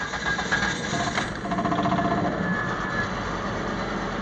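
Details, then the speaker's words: Car restarted after repair with connectors and a vacuum line reconnected: engine catches and settles quickly into a steady, even idle with no stumble or hunting; check engine light gone and it runs and idles well. "the idols moved out a lot quicker let me take her for a drive see how she runs I'm coming up to the first corner it's running and idling very well"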